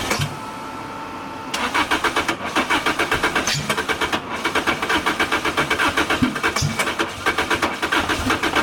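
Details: 2006 Lotus Elise with a 2ZZ turbo and 6-speed manual, with new plugs, new fuel pump and all fuses checked: the starter churns at about four beats per second, and it catches briefly then sputters out. Owner suspects the tune. Crank no start.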